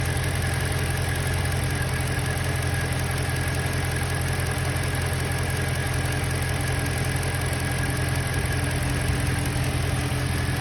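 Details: BMW M3: steady idle with a faint repeating tap about 160 times a minute over the engine note; strange noise, source unclear.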